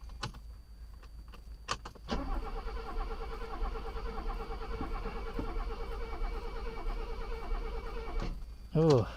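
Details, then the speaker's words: Mercedes on its first start with its own new fuel pump, after briefly running: the starter churns evenly for about six seconds but the engine never fires. Owner suspects the pump is too strong and flooding it; a fuel leak is also seen. "we're having a problem here what i'm thinking is this fuel pump is too strong and it's uh flooding the system so let it sit for a while and we'll try again huh"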